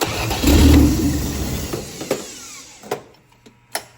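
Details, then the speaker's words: 1963 Plymouth Valiant 170 slant six with turbo and Carter BBD two-barrel carb, new starter, cold day: short crank, fires at once and runs evenly, slightly smoky; healthy cold start. "That's happy. All right. >> Sounds great."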